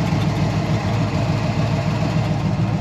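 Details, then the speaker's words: 1970 GMC 1500 with 350 V8, headers, two-barrel carb and short unmuffled exhaust: deep, even idle burble with steady pulses, no ticks or knocks; normal V8 idle. "so sounds good though the engine runs nice and smooth just sits there and prayers all day long no chicks no knots none of that stuff that is a good running good sounding engine"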